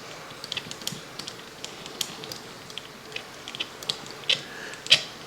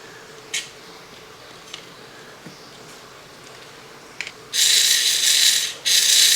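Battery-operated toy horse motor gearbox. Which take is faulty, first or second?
first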